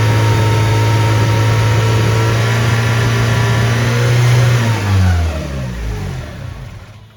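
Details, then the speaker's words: 1992 Honda Civic EG hatch with rebuilt B18C and GTX3582R turbo, first start in 3 years: settles at a steady, fast idle, too high, then drops and fades. "See, ended up getting the car all started in the last clip. Just is idling a bit too high."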